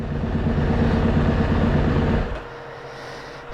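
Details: SXV550 restarted after a ride, its no-start fixed via TPS setup, lithium battery and GY6 starter; must be shut off at the switch, not the key: steady, even beat for about two seconds, then a clean shutoff. Fired readily, healthy.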